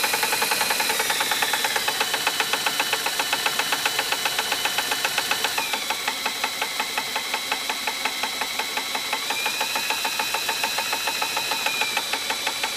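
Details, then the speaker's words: 1958 Gravely L tractor magneto spun by a drill on the bench during a spark test with a poor ground; sharp, regular snapping clicks nearly two a second that track the drill speed. The magneto spark is jumping, looking slightly orange. "So, run her with the drill and see what she does here. You hear that one arcing?"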